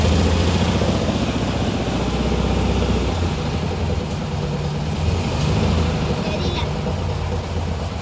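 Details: 1959 VW Beetle, heard from driver side: lumpy idle with an uneven low knock about four a second under the engine drone; owner suspects clutch misalignment with the engine/gearbox, not confirmed.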